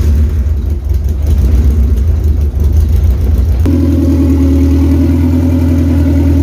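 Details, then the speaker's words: Car engine that won't start without starter fluid, idling about 1200 rpm after poor dyno day: soft, lumpy idle with little punch; compression doesn't feel right, rag over header barely moved, weak exhaust pulse; new Skunk2 Pro1 cams and distributor planned. "so all right so something's going on with the thing the compression just does not feel the same you guys saw i put the rag over the the header and it just wasn't even moving and that's idling at like 1200 before you know"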